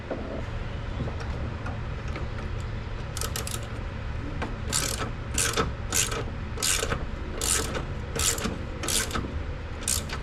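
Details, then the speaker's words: Ford S550 Mustang GT front end, car on the ground, steering wheel turned: irregular dry creaks once or twice a second over a low hum; silent when lifted, owner suspects strut top-mount pillow-ball bearing; front suspension creak when steering. "So, since I checked turning the wheel while the car was in the air and pressure was off the suspension system and Nothing made any noise, including when I took off the sway bar end link."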